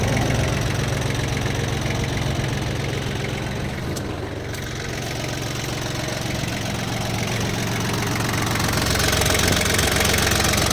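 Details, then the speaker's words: Yanmar FX18D mini tractor diesel, Japanese auction import, 956 hours: even, steady idle clatter at about three beats per second, with no knocks or odd noises. Runs evenly, normal diesel idle. "это видно и слышно по состоянию работе двигателя работает ровно без каких-либо лишних звуков"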